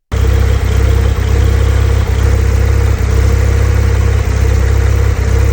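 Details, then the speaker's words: Manual Porsche 992 911 Targa 4 GTS at 30,000 km, on the highway: low, rough running with irregular drops, car shuddering and losing power, limp mode; cylinder misfire from a failed ignition coil. "Suddenly, the car starts vibrating like an old tractor. The power cuts out, the dash lights up like a Christmas tree, and that's what I saw."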